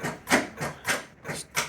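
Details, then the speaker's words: 1984 Dodge Daytona Turbo Z, sat 32 years, 30+ year old oil, key on, in neutral: sharp clicks about three a second with no cranking. Owner suspects a locked-up starter or, worse, a seized engine. "starter just clicks so that either tells me that either the starter is locked up or Worse gray scenario the engine is locked up"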